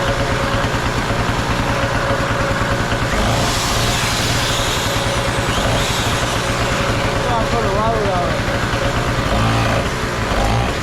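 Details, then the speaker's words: Trash-found Harbor Freight Tailgater two-stroke generator running after carburetor bowl cleaning: loud, buzzy, steady drone holding even speed without surging or dying; running normally. "Yeah, it's kind of loud, but hey, if you're in an ice storm or a power outage, hey, you ain't gonna hear it outside while you're in there watching TV, when everybody else is sitting in the dark."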